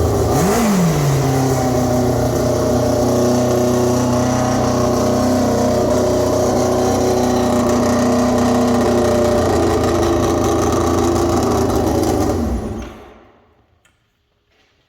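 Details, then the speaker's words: Formula 4 race car after fuel-leak fix (fuel pump O-ring replaced), very loud: engine climbing smoothly in pitch, holding a clean even howl under revs, then cutting off cleanly; normal revving. "can't hear nothing now. That is awesome."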